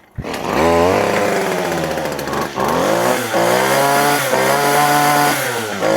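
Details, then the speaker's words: Stihl FS40 two-stroke trimmer that lacked power, after cleaning the clogged spark arrestor screen, air filter still out: fires right up and screams to full revs, pitch climbing cleanly with only brief dips; throttle and high rpm restored, normal. "But our throttle is back, we have high RPM."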